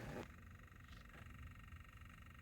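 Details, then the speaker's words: GMC Acadia with one door whose lock and unlock both fail: a quiet, steady, high electrical buzz comes from that door, louder with the car on. The radio also stays on with the car off; the cause is unknown. "lock doesn't work unlock doesn't work and you can even hear that it's not even making no sound just this weird sound"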